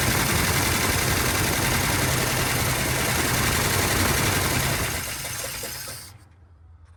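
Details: 1970 Dodge D100 383 big block, sat 30+ years: loud fast even chugging holds steady then cuts off cleanly; runs fine.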